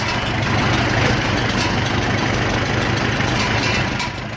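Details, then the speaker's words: 1947 Farmall M, first start after rebuild: idle with a steady beat and a breathy hiss on every exhaust stroke, coming out of the exhaust; muffler has a known leak, exact source not found. "exactly is coming from definitely coming out of the exhaust not sure if you guys can hear that or not but we'll get it fine-tuned"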